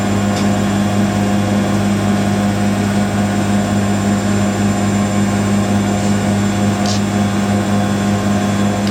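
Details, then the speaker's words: Siemens IQ300 WD14H320GB/02 washer dryer (7kg wash, 1400rpm max), bought listed as noisy on spin, on a Cottons 90°C cycle: intermediate spin at 1,000 RPM, steady low hum with no rumble or knocking, very smooth. "So 1,000 RPM for all the intermediate spins. Very smooth spinning that is though."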